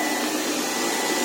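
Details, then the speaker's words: LiFePO4 280 Ah battery charger/inverter cooling fan, switched on by about 860 W charging load: loud, steady rushing airflow with a faint constant whine and no rattle or wobble; fan running normally under load, though quite noisy. "це він зараз включився через те що там бачи що там 800 60 Вт береться зарядка зараз через те він включився вентилятор"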